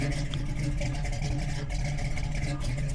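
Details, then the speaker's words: Big-cam engine just fitted with Aces Killshot Fusion fuel injection, just after first start: deep loping exhaust beat with uneven lope and loud low rumble, the usual choppy idle of a big meaty cam, running properly. "Fires right up, and it does have a big meaty cam in there, so it does run like that"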